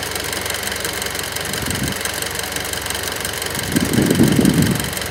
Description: EvoX - abnormal engine noise at cold start-up and at idle